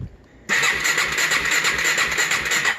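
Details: 2007 GasGas EC 450 FSR fuel-injected four-stroke, low miles, long stored, new injector and TPS, good spark: fast even cranking that never catches, backfiring into the air filter with strong raw gas smell; cranks but will not start, cause unknown.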